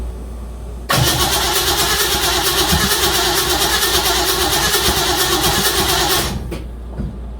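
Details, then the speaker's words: 1956 Chevy Bel Air 307 V8 with new lifters: about five seconds of steady fast cranking, roughly three pulses a second, never firing. Shimming the electronic distributor had lost its ground to the body, so no start. "No. All right. It's something else. Uh might be a connection on that distributor. One of those wires. Those wires are real flimsy."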